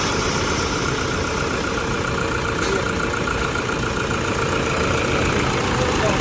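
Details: 2005 Toyota Fortuner diesel, after a set of injectors and return rings were replaced: a steady, even clatter at idle with no misfire, stumble or knock. A normal idle.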